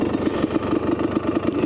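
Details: Kawasaki KDX250 two-stroke, freshly rebuilt motor, 38 pilot jet, stock needle in second position, 155 main jet, FMF Gold Series Fatty pipe, choke off, at 4,000–4,500 ft: crisp, even ring-ding popping at a steady fast idle; healthy.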